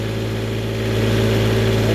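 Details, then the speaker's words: Newly refurbished Onan 7.5/8K RV generator (water pump done) on a stand, load-tested before install on each AC leg with heater elements (750 then 1,500 W, about 12–13 A at 120 V); even, steady drone holding pitch under load: healthy, normal running. "That's load testing it before I put it in. I did it to both circuits."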